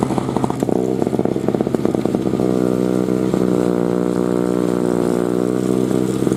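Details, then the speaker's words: 2003 Murray single-stage two-stroke snowblower, first run in 5 years, revved up: high steady buzz holding even revs with no stumbling or rattles. Runs healthy under load. "so let's try revving it up again and we'll see what kind of torque we have"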